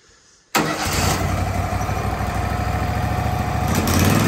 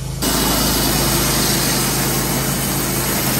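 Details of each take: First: Wood-Mizer LT15/LT40 sawmill after replacing a bearing, polishing the shaft, tightening the set screw and refitting belts: engine fires up and settles into a smooth, even run with no grinding or rumble. Normal running. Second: Wood-Mizer LT15/LT40 sawmill: a running drone with a faint high squeak and dry rough note. Owner is 90–95% sure the idler-side wheel bearing, a Chinese bearing, is failing, in its first stages with vibration and squeaking.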